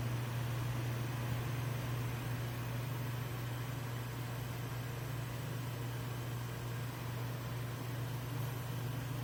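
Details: Dometic 13,500 BTU non-ducted RV air conditioner in a camper, compressor on: steady low hum with even fan rush, no knocking, rattling or cycling; running smoothly and normally.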